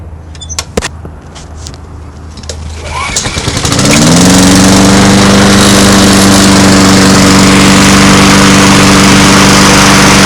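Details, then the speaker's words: Honda mower after its wheel drive gears were greased and reassembled: it is started on choke with a few rattling pulls, catches around four seconds in and settles into a smooth steady drone. A normal start, though it smokes at every start and the oil is not overfilled. "all right so it functions perfectly now start it up for you pull it choke"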